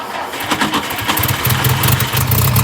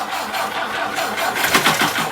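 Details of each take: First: 1959 Ford Taunus 17M carburetted engine, first start in the USA: rough churning crank for about four seconds, fuel leaking from carbs, then catches and settles into a quiet, steady idle. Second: 1959 Ford Taunus 17M, first start attempt with fuel leaking from the carbs: the starter churns the engine steadily with no firing while fuel is drawn into the carburettors. It starts shortly afterward.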